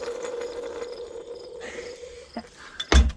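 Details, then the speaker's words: Old Caterpillar RD4 transmission bearing, removed and spun by hand: a rough, gritty rumble with a steady hum, then a clunk as it stops. Worn bearing rumble. "This is for y'all. In case you ever wondered what a bearing's supposed to sound like."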